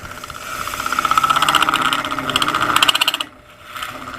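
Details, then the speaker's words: Lathe turning a multi-part resin casting, cutting a thin edge. A rapid rattling buzz of about four per second with a ringing high tone as the cutter loads up, dropping off when it lifts: tool chatter. "so you can hear how that cutter chatters when it gets loaded all up but i want to get back up in there to where i cut"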